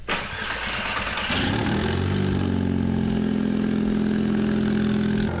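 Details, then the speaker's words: Cheap Audi S3 (claimed 300hp) after a coolant leak was fixed: engine cranks, fires and settles into a loud raspy idle with a puffing blow, an exhaust leak at a gasket that needs attention next and will cost power. "the coolant exhaulted but the absolutely crazy exhaust blow that you can hear that needs attention next because that I will be losing all my power from that"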